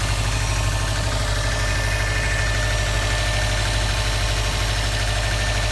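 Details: 2015 Subaru STI just started after check engine light, driven 2-3 miles: idle with a low, somewhat uneven knock about once a second under running noise; cause unknown.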